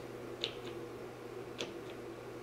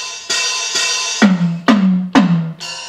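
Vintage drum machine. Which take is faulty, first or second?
first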